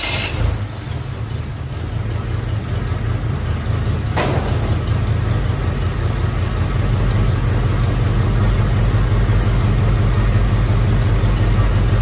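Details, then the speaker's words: Rebuilt Chevy small block 350 after distributor turned 180 degrees and timing adjusted, electric choke not yet connected: deep, steady idle with an even rumble, no misses, knocks or ticks; dialed in, normal idle. "Finally got this motor dialed in pretty good."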